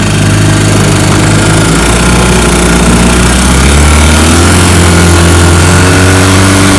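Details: Restored 1955 Johnson Seahorse 10 hp outboard with rebuilt ignition, carburetor and lower unit, pushing a 14 ft john boat about 18 mph: loud even two-stroke drone, pitch climbing and holding as it pulls; smooth normal running under load.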